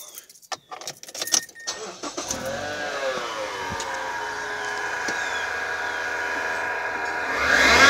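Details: 2008 Mazda 6 i, 2.3L four-cylinder, passenger wheel removed before alternator replacement: after handling noise the engine catches, and a steady whining tone rides over the idle, pointing to a worn alternator bearing.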